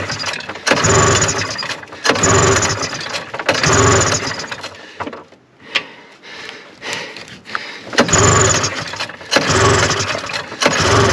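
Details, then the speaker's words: 1974 Arctic Cat Lynx 340 fan-cooled two-stroke snowmobile, sat outdoors 5 years, cold and snowy, very old fuel: repeated pull-start bursts about every 1.5 seconds, coughing but never catching; it tries to draw fuel, so a cranking no-start. "i see it's trying to suck fuel the fuel is real old um seems like it wants to go so i'm going to keep juicing her and tugging on her"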